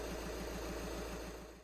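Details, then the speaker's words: 2011 VW Jetta 2.0 TDI diesel (CJAA), after replacing and coding injector number one: even diesel clatter at steady idle, about four beats a second, no miss or knock, running healthy. "so at this point now you just tighten down the injectors then you get ready to start it up and you should be good to go"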